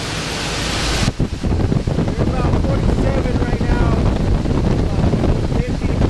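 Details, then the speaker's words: 2006 Trane portable HVAC unit in AC mode: steady, even whoosh of cold air over a low rumble with the condenser fan and refrigerant pump running, no rattles or squeals; normal cooling operation. "so that we can turn on the AC, and you see over here blowing out, and it's pretty cold air."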